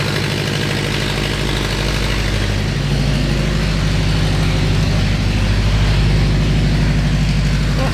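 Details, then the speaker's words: Subaru STI hatch with DW1200 injectors, first fresh start: raw rapid puffing about three pulses a second over lumpy idle, exhaust escaping from open O2 sensor port, running a little rich; random O2 sensor to be fitted. "Oh, it's still just a little bit rich with the 1200s in there."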